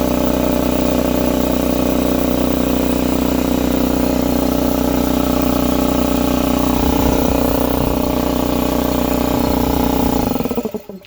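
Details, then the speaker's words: Husky C303H 30-gallon 170 psi air compressor that topped out near 40 psi, after valve plate/piston ring repair: loud steady motor drone, even pumping about four beats per second, no hiss or knock, then shuts off; building pressure, pump hot. "Let's see, do we got some pressure? Yes, we got pressure this time."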